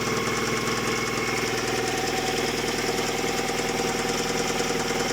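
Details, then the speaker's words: Hyundai G4GC engine with check engine light on, noise began during light acceleration while driving: steady hard knocking about three per second over a running engine, little vibration, engine otherwise running evenly; owner suspects clutch, source unconfirmed. "И вот начался вот такой вот звук. Бьет сцепление."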